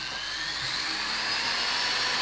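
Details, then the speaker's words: Jewelry flex shaft motor with an 18,000 rpm rated maximum, run at about 9,000 rpm (roughly half speed) as suggested for polishing. Smooth, steady high-pitched whine without rattles: normal running. "Okay, so I'd say that's roughly around about 9,000 revs, and that would be the only way for you to gauge how fast that's going."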